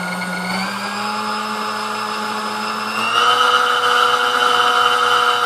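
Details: Sunbeam Mixmaster Model 11 after service, field coil pulled and leads extended: run through full speed range, smooth motor whine stepping up cleanly in pitch at each speed change, no rattle or drag; sounds good, runs good.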